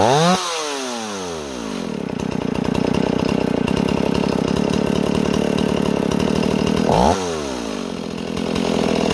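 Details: Warm Stihl 028 chainsaw after new crankshaft seals: surges and sags under throttle, revs drifting instead of holding steady despite tuning; unstable speed, owner suspects an air leak between carburetor and intake boot, pending vacuum/pressure test.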